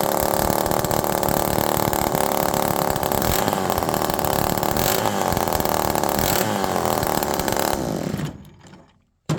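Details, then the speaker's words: Homelite Super Mini chainsaw, cooled off, running without an exhaust fitted: it screams at high revs, then stumbles coming down to idle and is getting very rich. Erratic idle; the cause is uncertain, either a dry-seal air leak or the missing exhaust. "Now this one's acting a lot better now, but it's erratic going down to idle. Now it's starting to get really rich."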